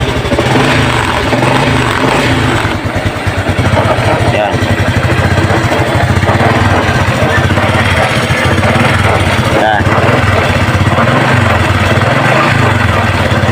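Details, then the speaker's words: Honda XRM 125 fuel-injected motorcycle knocking in every gear, first to fourth: the small single runs steadily with a rough rattling knock underneath. From past experience, worn transmission shaft bearings are suspected and the engine is to be opened up. "sa ganitong uri ng problema sa kanyang tunog na lagutok sa kanang makina ay Y over talaga yan mga grasa yung dati sa experience ko ay yung sa bearing ng kanyang me shop po"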